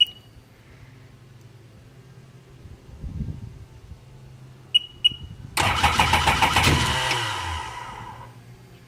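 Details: 2002 Sea-Doo GTX 4-TEC, 48 hours, rebuilt engine, no fault codes: a few electronic beeps then about two seconds of cranking that never fires; after replacing the ECU and reprogramming the keys it later started but wouldn't idle, and the starter bendix was also missing two teeth.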